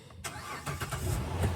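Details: 2010 Dodge Charger SXT V6 being readied for smog: brief crank, then the engine catches cleanly and settles into a smooth, even idle; a healthy start.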